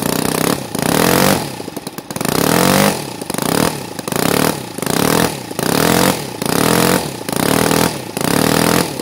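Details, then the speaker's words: NGH FG 38 model engine, CH ignition timed at 30° BTDC, Topflight 20x6 prop, at top end: revs rise and fall in surges about every second and won't rev higher. Surging; owner suspects the carburetor, fuel pooling, and a bigger venturi needed. "at the top end I hear and I feel the engine like he wants to go more and it has a little bit of a surging he wants to brave up a little bit more and something is going on"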